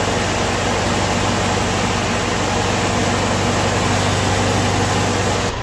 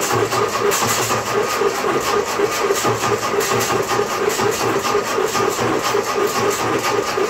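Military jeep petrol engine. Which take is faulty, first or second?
second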